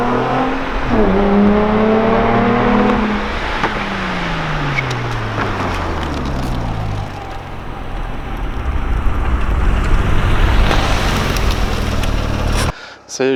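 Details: Nissan 350Z with Cobra Sport non-resonated exhaust and TP34 tips, standing start filmed from outside: sharp rev, hard launch rising in pitch through several gear changes and fading away; loud, healthy exhaust under acceleration.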